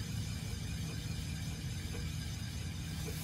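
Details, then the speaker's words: Chevrolet Impala SS raised wheel after wheel hub and control arm work: low pulsing whoosh each revolution, believed to be brake pads scraping corrosion off a rusty rotor; clicking persists, hub replacement suspected eventually; brake-pad cause suspected, not confirmed. "So that scraping you're hearing? Mm-hmm. That's your brake pads on the See, I was wiping off the rotor."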